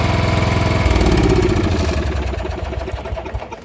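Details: John Deere 160 riding mower with Kawasaki engine, late 80s or early 90s, after cleaning corroded connectors under the ignition switch: catches at once and runs with a steady even low putter, then fades off; clean start.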